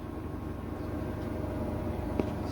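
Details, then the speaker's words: GE washer GTW460ASJ5WW on a test station after its suspension rods were replaced to fix shaking. The spin cycle gives a steady, even hum with no thumping, banging or violent vibration, so the washer spins smoothly. "currently it's in the spin cycle spinning nice and smoothly no violent vibration or shaking"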